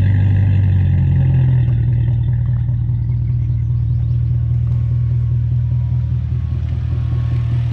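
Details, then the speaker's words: BMW E39 540i 4.4 V8 at idle after swapping in newer-style intake manifold parts (part 11611729528) with spacer plate; deep, even burble lifts briefly then settles steady with no knocks or misses; normal idle. "That being said, we'll fire it up, show you what it sounds like. I've noticed it seems like it's quite a bit louder, especially like in the mid-range."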